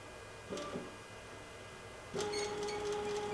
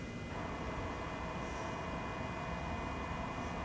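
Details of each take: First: Genmitsu CNC on a wireless offline controller, jogging left: a steady, even mid-pitched stepper hum holds while the axis travels, in contrast to the diagonal jog that fails to move; normal stepper jogging. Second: Genmitsu CNC jogging left via wireless offline controller and app: steady electrical whine with fixed tones, stepper energised and running but axis not moving; stepper motors removed and couplers checked fine, cause unknown.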